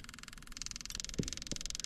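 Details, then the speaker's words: Diesel tow-behind roller compactor that sat for years, with a temporary fuel setup; the electric fuel pump settles into a fast, even, quieter buzz with soft ticking once primed, which is a good sign; fuel pressure confirmed before bleeding the injectors. "you hear how much that pump quieted down that's uh that's always a good sign"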